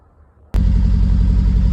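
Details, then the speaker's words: Triumph Spitfire after distributor work, points gap set by eye: bursts into life then idles lumpy and uneven with a wandering low beat, gear lever shaking; not running well, ignition timing still to be checked. "Right, well it's going now. It's not running very well. I need to have a look at the timing still."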